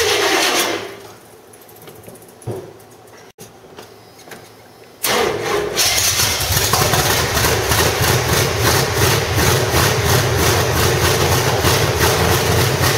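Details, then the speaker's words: 1985 Stepside with reportedly 400 hp Corvette engine, cam and roller rockers, headers, gummed-up old carburetor: catches then settles into loud, lumpy idle with steady cam lope through open exhaust; sounds healthy. "but motor sounds pretty healthy it's definitely got a cam in it and it definitely has some Harland Sharpies roller rockers"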